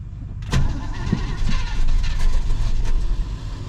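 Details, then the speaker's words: 1967 Pontiac Grand Prix convertible, 400 cu in 350 hp V8, long-stored, cold-blooded: slow, labored, uneven cranking before it finally fires; faulty starter. "this thing's cold blooded as heck and that is a bad starter"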